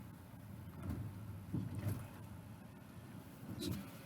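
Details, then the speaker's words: Tesla Model S after new track control arm fitted for severe suspension rattle; reversing and driving forward slowly over a drain grid, only soft tyre thumps, no rattle, fix confirmed. "no rattle reverse reverse back hitting the drain grid just there and then forward once again"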